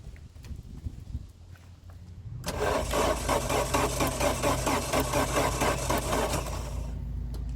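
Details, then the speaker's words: 1989 Chrysler LeBaron GTC, 2.2L Turbo II with 5-speed Getrag, sat about 17 years, battery charge doubtful, one plug pulled for a spark test: starter turns the engine over at a lazy beat for about four seconds. Slow cranking. "Well, it spun over. It wasn't the quickest in the world, but let's see if we got spark."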